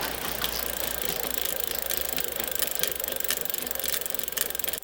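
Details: Raleigh "Frankenbike" in a repair stand with the rear wheel spun freely: sharp, fairly regular ticks about twice a second with a faint rattle; the customer reported clicking and popping, suspected to come from the rear hub or freehub.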